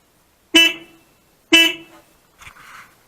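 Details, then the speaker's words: K2 GSXR 600 with a replaced horn, ignition on and in neutral: two loud, clean half-second honks and then a softer sound. The horn works properly and very loudly. "I definitely think that works. That is stupid loud."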